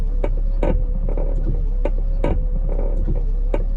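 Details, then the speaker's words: 2017 Ford Transit 350 diesel dually wiper motor and linkage after greasing all four ball joints and spraying lithium grease into the arm shafts: even motor hum with soft regular thumps, no squeak or grinding; noise fixed. "I'm gonna try it out and see what sound we have now and I don't hear anything like we used to hear"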